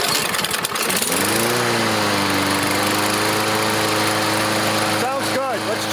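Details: Craftsman push mower with a Briggs OHV engine, test run after servicing a previous mechanic's overrevving repair, in cold, windy weather, a reading of about 3,240 noted: steady, even high drone with no surging or hunting. Normal governed speed.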